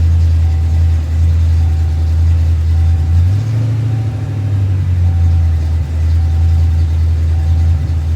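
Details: Fox-body car, first start after years of sitting, after freeing a seized smog pump: deep loping idle rising and sagging unevenly; rough hunting idle, running rich, base idle reset planned.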